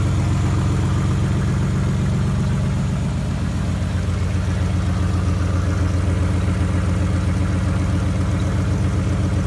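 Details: 1991 Nissan Maxima idling after oil and filter change: steady regular light tapping about four beats a second over the low rumble; owner unsure whether injector tick or rod knock.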